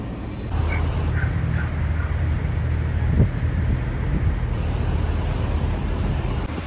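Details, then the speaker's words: Parked semi truck at idle during a DPF regeneration after earlier DPF problems, owner hoping it didn't shut off again: steady, even low diesel rumble with no misses or knocks, still regenerating. "sounds like it's still doing its thing."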